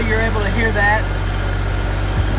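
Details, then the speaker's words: BMW with 102,000 miles, hood open: steady, even low hum at idle with no tapping or ticking; sounds healthy. "no weird tapping or ticking at all this sounds great"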